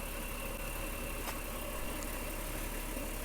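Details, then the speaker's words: Ford Territory after its broken or cracked exhaust resonator was removed and replaced with a straight-through pipe: quiet, even idle with a soft steady low hum and no rattles or puffing; smooth exhaust. "there it is straight through pipe and it sounds a lot better smooth i was expecting it to be a lot more noise but have a listen it sounds i wasn't expecting that it's very smooth"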